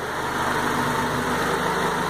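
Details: 2000 Honda Civic G6, 110,000 km, after full service with valve adjustment, timing and idle set to about 750 rpm: smooth, even idle with steady hum, no ticking, stumbling or hunting; normal.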